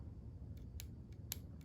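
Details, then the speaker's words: Porsche 944 windshield wiper motor, removed and bench-powered from battery: only a few sharp isolated clicks inside, no whir or spinning; motor gets power but is seized, before disassembly and repair. "I can hear the motor clicking but it's not spinning so that means it's seized up it's broken and we can fix it"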